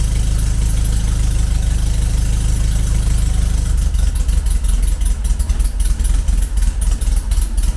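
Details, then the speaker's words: Classic VW Beetle with EFI conversion, after fixing a fuel pressure regulator installed backwards, idling cold with no accelerator and an exhaust duct fan running: low steady idle with fan drone, slight unevenness; now ticking over acceptably, not yet perfect. "In the background you will hear the exhaust fan running. So uh that means that we are looking an awful lot better."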